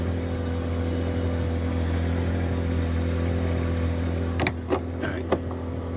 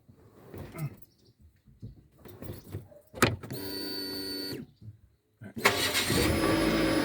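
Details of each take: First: 2007 Nissan Wingroad WEY11 QG15, crank-no-start with no fuel pressure: the fuel pump hums and whines steadily, then cuts out when the connector is tapped. A terminal in the pump connector is burnt, causing the intermittent fault; it is repaired by soldering and heat-shrinking. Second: 2007 Nissan Wingroad WEY11 with QG15 engine, after repairing a burnt fuel pump connector terminal that caused a crank-no-start: the pump hums steadily for about a second while priming, then the engine cranks, catches and settles into an even idle, a normal start.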